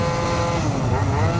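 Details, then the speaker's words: Yamaha BWS 70 Stage6 two-stroke scooter with foam filter and very light rollers, thought to be 5.5, at about half throttle: high, steady scream with revs hanging high, no difference from full throttle; owner suspects it is drawing too much air and running lean. "But it's just revving high. This is about quarter throttle. Well, actually I can't say quarter throttle because we've got a short throw. I'd say half throttle."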